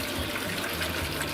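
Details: Newly fitted borehole well pump, replacing an old pump that hummed but did not pump: steady rush of water over a low, even hum with no strain or surging; water is flowing. Normal pumping.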